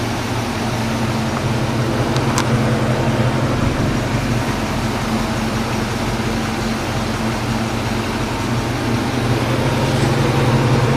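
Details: 1995 Mustang Cobra with a faint, irregular knock under a steady idle and fan hum, roughly three a second. First thought to be a bearing noise; the owner suspects the A/C compressor with its clutch disengaged, since the noise seems to disappear with A/C on.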